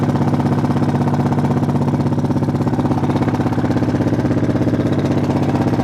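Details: Honda Foreman engine at steady idle with a light, even tick keeping pace with the engine, two or three a second; valves already adjusted correctly, owner suspects timing chain, unconfirmed.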